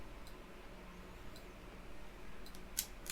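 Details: Project motorcycle with a newly built wiring loom on a bench power supply, ignition on, indicators switched left then right: light crisp clicks about once a second over quiet room hum; flasher relay ticking normally.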